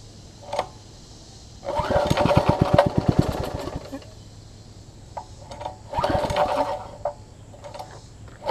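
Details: Troy-Bilt Tuffy rear tine tiller with a new, possibly imperfectly fitting carburetor diaphragm, exhaust and intake tube refitted: short bursts catch for about a second, then fade and die. Fuel starvation.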